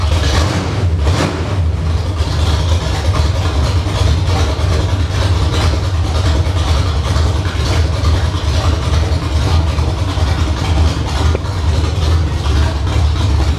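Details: Summit Racing 1107-cammed 305 small-block Chevy on test stand, Edelbrock Performer intake, 750cfm Holley, headers; idle tuned to about 750–800 rpm; deep lumpy choppy idle with quick rev blips; normal cammed idle and revving.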